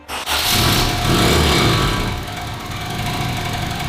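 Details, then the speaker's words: K24 turbo widebody Honda Civic, tuned a week earlier, on launch control: a loud, harsh, go-kart-like rattly buzz; teardown found bent connecting rods and copper shards. "After we heard this sound in the engine, I immediately thought, "Okay, this isn't good.""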